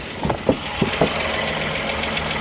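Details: Engine with suspected loose bottom-end component (piston or connecting rod), oil pressure rose from 60 to 90 psi after work; idle with a few dull knocks early, then fairly even; noise reduced but faint rod knock remains.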